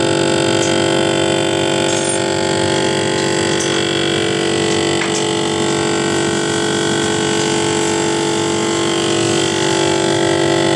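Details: GE refrigerator model GTE22IBTJRWW running: constant loud rattling buzz with steady hum, about four pulses a second, from the evaporator fan motor, already replaced twice under warranty, the second time with a used motor.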